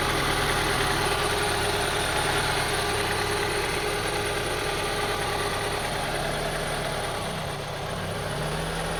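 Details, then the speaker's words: 2002 Honda CR-V 2.4L, rough idle and stalling, after cleaning the idle air control valve beneath the throttle body: wavering, slightly uneven idle with a small dip; unchanged, owner suspects IACV or throttle body. Rough idle. "See, I cleaned the air control valve beneath there, located beneath the throttle body, but did not solve the problem. Maybe the throttle body is bad, or maybe the air control valve is bad. So, as you see, still the same thing."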